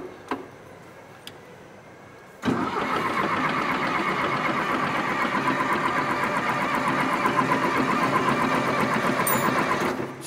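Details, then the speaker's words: John Deere 450C track loader pulled from the woods after long sitting. Steady cranking for about eight seconds without catching; air in the diesel fuel system, so lines need cracking to bleed it. "she's got air in her bub she's Giant you need a little Dozer crack some of the air Eliminator"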